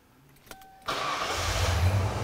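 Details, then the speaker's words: 37-year-old Ford Bronco with defective new TFI-IV ignition module: no start despite PIP and SPOUT present; after cycling the key, a couple of clicks, short crank, engine catches at once to rough idle; intermittent module failure. "so basically it's installing the module's failing and we're removing power and"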